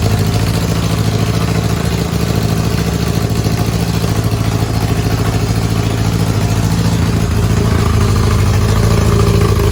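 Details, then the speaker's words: Honda engine swapped into a Smart car, running from a temporary fuel tank under the car with little fuel: steady, even low idle with smooth firing pulse, no knocks or misses; normal idle. "running out real fast, so I had to shut it off. But yeah, starts and it sounds good."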